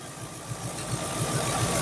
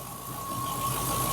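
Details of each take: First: Triumph Stag Mk2 during ignition timing and balancing of standard Zenith Stromberg carbs: steady low idle at about three to four pulses a second, speed drifting slightly; unsteady idle, choke mechanism suspected of interfering. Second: Mk2 Triumph Stag at operating temperature after ignition timing and balancing of the standard Zenith Stromberg carbs, fast-idle choke backed off. The idle is steady and even with no misses, hunting or knocks: a normal smooth idle.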